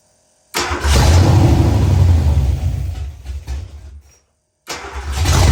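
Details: Ford Fox-body Mustang, rebuilt 302 V8 with new cam, second start with a little gas in the bowls. Catches with an uneven, lumpy beat, cuts out, restarts and revs: rough running; adjusting ignition timing helped it idle.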